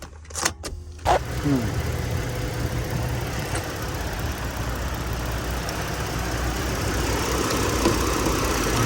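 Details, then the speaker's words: 2007-2010 Lincoln MKS idling roughly with hard brake pedal: faint steady hiss over an uneven rumble when the brake is pressed, a vacuum leak; a vacuum hose was found not fully seated, brake booster also suspected. "see when you press the brake you car some the engine is making some vacuum leak from the engine got to have some vacuum leak could be the hose"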